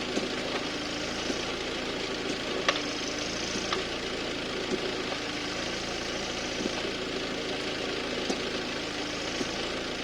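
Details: Audi A6 C7 2.0 TDI with S-tronic gearbox idling: sharp light clicks every second or two over diesel clatter. Over the last 2000 km it clicks on selecting R or D and sometimes on 3-2 or 2-1 downshifts. Oil and filter were changed 10,000 km ago; cause unknown.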